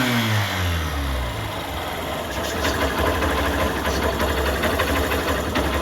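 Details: Honda Shine 125 BS4 single-cylinder after compressor (compression) repair with new valves and guide: revs drop and settle into steady even idle, no knocking or rattle; healthy.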